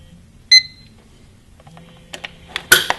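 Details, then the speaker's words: La Crosse WS-8117U-IT-C atomic digital wall clock, fresh AA alkaline batteries inserted: single short high beep after batteries click in, then handling noises; confirms batteries seated and clock powered up correctly. "You'll know that they went in properly and everything is working right when you hear the beep."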